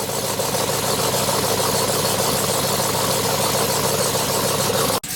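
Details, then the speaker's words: Idle on a TRX fitted with a new fully built 426 Hellephant (custom cam, CNC ported heads, 10% lower pulley, 2in headers, cats retained) at first start-up while data logging, not yet fully warm; loud, slightly lumpy cam chop, steady exhaust, healthy. "It has cats, so if it didn't have cats, this thing would sound absolutely ridiculous. Right now I'm data logging. We gotta let it warm up a little bit more so you guys can actually hear the cam."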